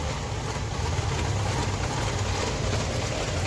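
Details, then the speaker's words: Suzuki SX4 petrol/CNG car, started with jumper cables after standing 3–4 months: uneven, lumpy idle with a stumbling beat, misfiring on petrol but fine on CNG. "इसको हमने मार के भी battery से jumper मार के start किया हुआ है और गाड़ी ये पूरा मिशिंग कर रहा है"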